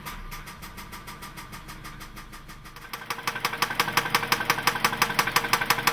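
After the start, sharp regular knocks at about three per second ring over the idle and grow louder; it is a knock, cause unknown.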